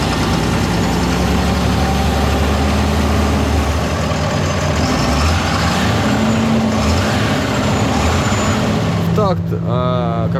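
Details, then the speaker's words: Fendt 936 tractor, Deutz diesel, hot engine at idle: a dull knock under the heavy idle, with vibration felt at one cylinder; a fuel-injection problem is suspected, and the injectors are removed for testing. "Всем привет Сегодня у нас fent 936 какой-то звук на горячую"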